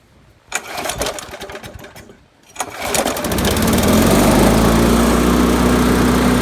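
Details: 1999 Weedeater HD4QE22SC mower, B&S Classic 4.5 HP, trash-picked, revived with replacement gas tank, pull cord, flywheel key, diaphragm and oil change; after priming, a couple of rope pulls, then it catches and runs steady and even; normal start.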